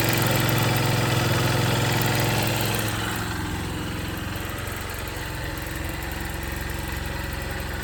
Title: 2024 Xr150l rattle/ticking sound what’s going on here